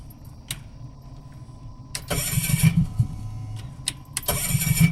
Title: it won't start